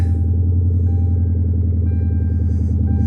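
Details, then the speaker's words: Mercury (Torino body swap) started after a jump start: heavy, loud low rumble with a rapid burbling pulse at idle, too raw for stock because somebody stole the catalytic converters. "can hear real good right now that somebody stole the cats."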